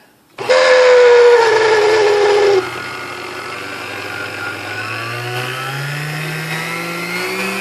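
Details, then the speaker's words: Sunbeam Mixmaster Model 12 vintage mixer before service: whiny tone sags as the motor settles, then steadier run with rising hum; noisy at start, owner suspects dry bushings. "all right it does seem to run now a little noisy at first but I'm guessing that's that noise was coming from dry bushings on there"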